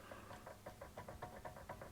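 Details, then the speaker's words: Aftermarket Trakmotive/SurTrack MB-8032 drive shafts just fitted to a Mercedes W124: light hollow clicking knock about six times a second as the shaft is worked, pointing to play in the new shaft joint; originals don't make this noise. "they make a small amount of noise um i don't know if that's normal on other cars but that's definitely not something you would expect on an mba"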